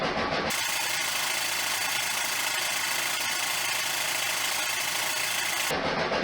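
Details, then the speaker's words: 1973 VW Super Beetle with new stainless EMPI header, first start of the year: steady, even idle under a loud rushing hiss, no knocks or stumbles; quieter than before the header, though the camera doesn't capture the real sound. "it is definitely quieter than it was before and I've said this in my other videos this camera does not actually indicate what it sounds like"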